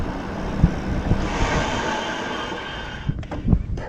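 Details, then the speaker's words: Bike Tricks Stunner X e-bike hydraulic disc brakes, after new ceramic pads replaced squealing old ones: rolls to a stop with only low rumble and wind, no squeal, grinding or pulsing. "perfect perfectly smooth stop no squeal no grinding no pulsing no nothing that was it i needed new pads"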